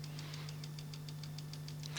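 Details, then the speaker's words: Tape recorder with dried-out grease: sharp light ticks about seven a second over a steady low hum. Owner suspects the motor rattling against something or the belt, seemingly from the motor drive end rather than the flywheel; later cleaned and lubricated. Ticking noise. "it's the motor rattling against something or the belt or something like that um there's only two components it could be that's the motor drive and the flywheel and it sounds like it's coming from the motor end of it"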